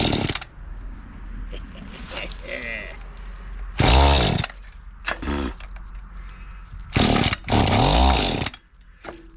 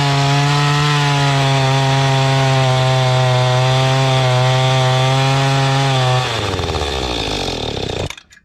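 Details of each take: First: Mantis tiller two-stroke, estate-sale unit, just after a fuel-system clean with the carburetor still unadjusted and started on choke: bursts to high revs, then sags and dies back in uneven surges, lean and starving for fuel. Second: Mantis tiller two-stroke bought at an estate sale, after the high-speed carburetor screw was turned out richer: high, steady buzz holding even revs with no surging or sputter, then winding down; running clean.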